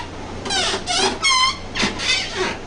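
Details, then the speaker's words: Hampton corner-cabinet Lazy Susan after graphite lubrication and reassembly: repeated short, high, rising squeaks as the carousel turns, milder than the earlier shriek; still rubbing at the pivot, worse when fully loaded. "so that's how it sounds now better than the banji streaks shriek it was"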